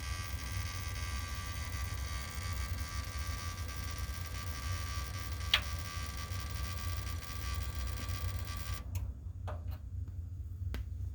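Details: Desktop PC (i9-11900K, RTX 3060 Ti, MSI Z590, NZXT Kraken M22 cooler, XPG Core Reactor Gold PSU): steady low buzz throughout with a few faint clicks, cause unknown.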